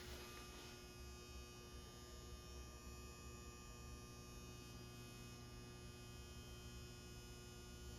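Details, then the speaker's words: Galaxian arcade cabinet during restoration: steady low electrical hum with a faint buzz, unchanging, from the monitor chassis, present since first power-on; monitor apparently not getting power, no neck glow, and a spark seen, with a suspect ground wire found. "know what the spark was that hum is that from down there it was doing that when I first turned this thing on"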